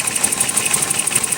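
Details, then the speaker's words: 1988 BMW 528e idles with fast even ticking over a thin idle that doesn't change when plug wires 2, 3 and 4 are pulled; misfire on three cylinders, owner almost certain the crank sensor is the culprit. "nothing so we got a misfire on three cylinders and i'm almost certain that the culprit is this crank sensor"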